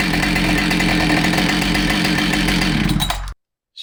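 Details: Husqvarna 572XPG chainsaw that had been run over, test run after repair with a new bar and a replaced heated handle: revs up to a crisp, steady buzz with no shake in the note, then cuts off cleanly; it runs healthy.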